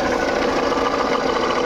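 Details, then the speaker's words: Jeep Compass diesel idling before repair, heard at the alternator from the engine bay's right side: loud harsh continuous grinding over the idle, present from start-up and continuing, from a failed alternator pulley bearing. "देख सकते हो कितना जोर जोर से आवाज आ रहा है गाड़ी एक बार बंद करते गाड़ी बंद करो"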